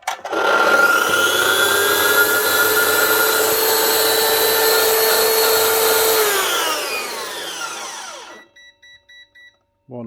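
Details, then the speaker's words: Mafell MT55 CC plunge saw that would not switch on and had no power, after its broken power lead was replaced: motor snaps up to a steady high whine, holds for six seconds, then coasts down smoothly. Normal running. "One Mafell MT55 CC plunge saw. Up and running again. Only needed a new lead."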